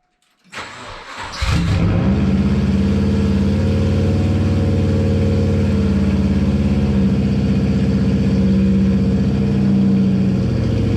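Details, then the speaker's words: JDM EJ205 turbo swapped into a Subaru Impreza 2.5RS, with a semi-divorced wastegate downpipe and a stock blow-off valve, on cold start: a quick crank catches into a loud, raw, steady idle with turbo whistle. Healthy. "oh hell yeah I mean that's insanely loud right now but it still sounds super good not gonna lie hopefully you could hear the turbo whistle and stuff on the GoPro audio"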